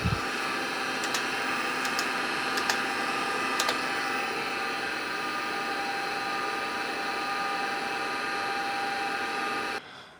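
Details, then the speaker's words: 40-year-old MiniScribe hard drive in an IBM 5161 expansion unit booting an IBM PC 5150: loud steady high-pitched whir with quick seek ticks early, winding down at the end; works but far noisier than normal. "I do apologize for the noisy sound but I can only blame it on the miniscribe hard drive which is still winging about having been woken up from retirement"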